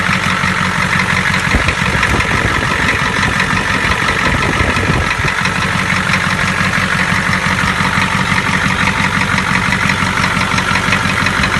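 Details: Ford 7.3 diesel at idle after replacing a faulty fuel injector: steady, even diesel clatter with a regular beat, and the earlier tapping sound is gone. Normal idle.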